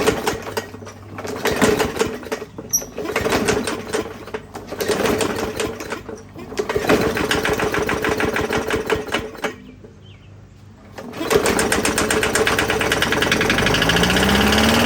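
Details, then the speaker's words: 21-inch Murray push mower in very bad shape, not running right: rough, uneven small engine with a rapid irregular knock, about three per second, worsening as it settles. Owner suspects the bent-up valve cover; cause not confirmed. "Hear the knocking. I'm wondering if it ain't that valve cover. It looks like it's bent up a little bit."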